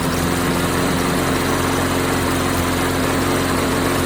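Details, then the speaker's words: Lawnflite MTD lawnmower repowered with a swapped-in Tecumseh engine, first run: fast uneven idle with occasional stumble, running with a hiccup but not smooth; owner wonders about changing the carb, cause unconfirmed. "I MEAN, IT'S not running spectacular. It's just kind of got a little bit of a hiccup. But, it's running."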